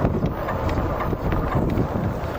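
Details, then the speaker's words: Lankeleisi MG600 Plus electric fat bike while riding, wheel slightly misaligned to the frame: a faint rhythmic brushing tick repeats with each wheel turn under wind and tyre noise. The rider is unsure whether something is touching or it's the motor, and it doesn't change when braking. "C'est quoi ce bruit? Un truc qui touche ou c'est le moteur? Un petit bruit de cyclique là."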